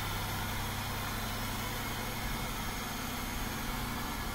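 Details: 2003 Chevrolet Monte Carlo SS, 3.8 L V6 automatic, 4,694 miles, one owner, just started: steady low hum at smooth even idle, no knocks, ticks or misses; engine healthy.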